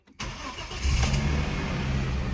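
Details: Audi S4 B5, bought cheap in the UK as a running car, started in neutral: it cranks and catches quickly, then settles into a steady, even idle with a smooth low rumble and no knocks or misses. Sounds healthy.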